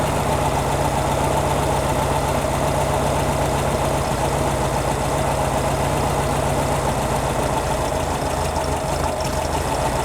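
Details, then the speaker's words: 1957 oval-window VW with a generator engine, warmed up: slow, steady, even putter at a very low idle with no misses or knocks. Normal low idle; a slight bog followed, needing more fuel. "like the super low idle it's a gen engine meaning generator sounds good"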